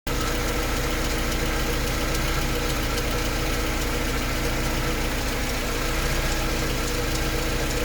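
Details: Mercedes 190E engine at idle: light, fast rhythmic ticking at about three to four per second over a steady idle, likely from the top end. Cause not pinned down.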